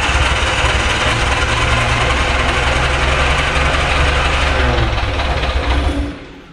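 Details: Barn find Austin-Healey Sprite, first start attempt with only a battery and a fuel drip to the carb, which leaks from dried gaskets: starter churns with loose, uneven chuffing and a few fitful catches that never take hold; cranks but won't start.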